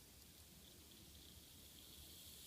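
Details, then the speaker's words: Kato Santa Fe C30-7 model locomotive after motor and worm gear replacement, test run before the shell goes back on: a faint, steady high whirr with no stutter or grinding, running smoothly in both directions. "that sounds pretty good to me. So let's take a look. Sounds pretty good to me."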